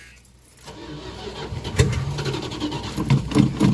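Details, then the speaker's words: 1989 Dodge Ramcharger 2WD that sat about 14 years behind a dealership, with fuel fed to the carburetor: keys rattle, starter cranks, engine stumbles and catches roughly, struggling to settle; hard start after long sitting. "come on baby yes finally something making some noise he's a little unhappy but i guess that's what happens when he ain't been running the coons age"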